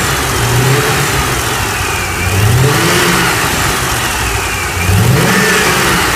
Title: LS7 Whining noise after cam install